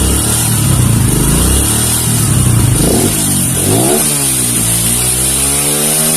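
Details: Kawasaki KLX 150 after carburetor vacuum rubber (diaphragm) setting: single-cylinder blips up sharply and falls straight back to steady idle with no hesitation; clean, healthy throttle response.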